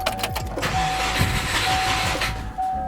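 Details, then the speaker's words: Subaru Forester engine just reinstalled after oil separator repair with new motor mounts, oil pan and clutch; starter whirr, catches, then slightly lumpy uneven idle with cylinder 1 and 2 misfire persisting, owner suspects ignition coil. "so the cylinder 1 & 2 misfire did not go away kind of figure that one out may have to replace the ignition coil"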